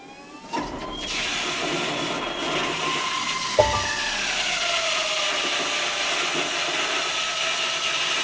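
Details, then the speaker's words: 2020 Chevrolet Silverado 1500 3.0L Duramax diesel, 20,492 miles, after fuel filter replacement: start button held about five seconds without brake to prime; steady electric fuel pump whine builds then eases to lower even tone as pressure rises, no rattling or surging; normal fuel pump priming. "and you hear the fuel pump running basically it's generating pressure it's going to can now hear that it's actually pumping"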